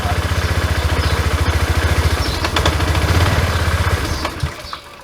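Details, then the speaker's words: Honda Click 110i fuel-injected scooter that starts and idles but stalls: even single-cylinder chugging for about four seconds, then the beat falters and dies as the throttle opens; stall when throttle opened, cause not yet diagnosed (scanner and fuel-pressure checks planned). "รถก็ดับลงไปเลยนะครับอาการแบบนี้นะครับ"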